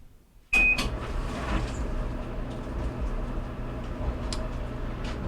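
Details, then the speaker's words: Whirlpool Duet electric dryer (GEW9250PW1) that wouldn't start, after belt switch replacement and belt refitted: thump at startup, then steady even rumble with light tumbling as drum rotates; normal running. "and now our drum's rotating and we'll let it run here for a couple minutes and make sure we got heat"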